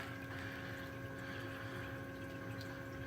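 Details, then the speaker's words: Newly plumbed 60-cube reef tank siphon overflow drain, valve dialed in slowly: low even hum with faint steady trickle of water falling down the overflow, no bubbles or gurgling, a near-silent properly balanced drain. "and look at that is that not Perfection or what I mean there's no bubbles at all and it is dead silent I can't hear a thing in fact all I hear is the water water falling down the Overflow up there"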